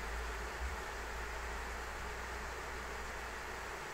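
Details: ASUS ROG Strix RTX 3090 in an XTIA case under benchmark load: steady even loud fan rush, no ticking or grinding; cooler struggling with heat blown onto it by three radiator fans.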